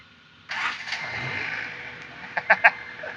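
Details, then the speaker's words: Honda EF Civic after repairs including a replacement intermediate shaft: short crank catches almost at once with a bump of the key and settles into an even run, no stumbling; starts cleanly, much better than on arrival. "Dude, you just bump the key and this thing turns on now. A lot better. She running good now."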